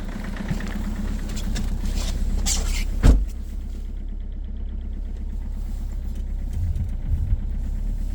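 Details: 2.0 HDi diesel cold start at -16°C: a rough idle carries a sharp, very strong repeated knock that stays prominent over the low running note.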